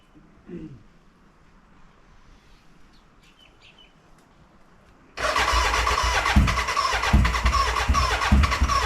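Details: BMW K100 café racer first start after rewiring, tank newly fitted and fuelled: quiet, then harsh uneven cranking churn about three beats a second that never catches into a run, a cranking no-start; owner suspects the battery died and will recharge.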